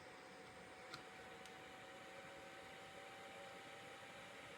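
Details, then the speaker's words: Small seven-blade computer fan powered from a supply, spinning at very high speed, measured with a DIY tachometer. Smooth, even airy whoosh with faint steady tone, no rattle or ticking; normal. "take a look at the speed it's a very high speed okay"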